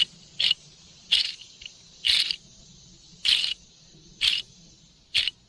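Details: Bearing pried off a Muncie three-speed transmission shaft during rebuild, hot from torch heating: short gritty rasping bursts about one a second when spun by hand, worn and part of the transmission noise.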